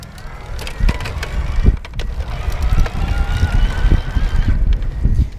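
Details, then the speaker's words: Gazelle Arroyo C8 HMB e-bike with Bosch Performance Line mid-drive motor, riding in Eco mode. A thin motor whine rises in pitch with pedalling cadence over wind buffeting, and the display gives a shift-up recommendation. This is normal mid-drive whine at high cadence. "you can hear it whining as I get into those higher rpms and that's when it's like okay shift up"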